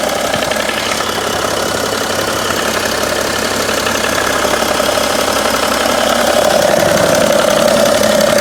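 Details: 2011 BMW 335d (286 hp) diesel at 205,000 km, warm idle: light, fairly regular tick about three per second, apparently from the front of the engine near the damper pulley; intermittent, absent when cold, disappears with slight throttle, quieter with A/C on.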